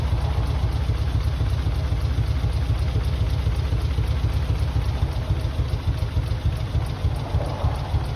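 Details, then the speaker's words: Mitsubishi 3000GT VR4, new engine first start, converted to crank and cam position sensors, old injectors that were cleaned and reused: lumpy, uneven idle with a loping rumble and missing beats, running on only a few cylinders. Misfire from stuck injectors. "Okay. She's running on a few cylinders, not on all of them, but it's a start."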